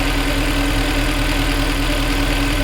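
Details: Mercedes W204 C63 AMG M156 V8 idling after spark plug replacement: steady constant low hum, no knocks, misses or stumbles; runs healthy, no fault codes detected, though a bank 1 cylinder 2 oxygen sensor still needs replacing.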